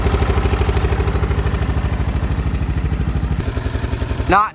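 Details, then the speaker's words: Stratos race kart with Honda GX270 single-cylinder, just revived with fresh fuel and float tapped: small engine thumps at an even steady beat, then shuts off; running cleanly, no misses; normal running. "too bad 30 minutes and I got this thing running time to take her for a rip"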